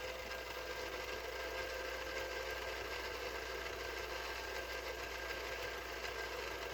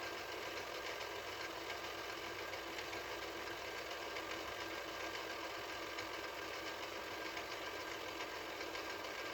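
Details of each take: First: 1983 Mitsubishi HS-700UR portable VCR, after repair: continuous even mechanical whir with faint steady buzz on rewind, noisy with all cassettes, not on fast forward; owner suspects the rattly clutch under the reel or cassette seating or motor drive. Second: 1983 Mitsubishi HS-700UR portable VCR, after repair: smooth steady high whir on fast forward, no rattle or ticking; transport healthy, unlike rewind, where the clutch under the reel is suspected of rattling.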